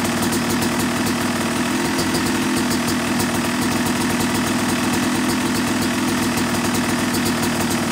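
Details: Yamaha YZ250 two-stroke motocross bike (270cc/250cc), break-in after full engine rebuild (bottom end, transmission, bearings, clutch, power valve); crisp fast crackle at steady even idle, no misfires or rattles; normal, healthy.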